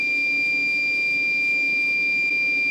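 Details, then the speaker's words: FlyingBear Ghost 6 3D printer control board buzzer beeps continuously at power-on while everything else works and reflashing didn't help; cause was a sticker on the board pressing on or shorting components. "це у нас якийсь обривчик іде по дроту На жаль перепрошивка нам не допомогла А ось друзі причина нашого пища Ось ця наліпка яка стояла поверх нашої плати вона десь або піджимала елемент"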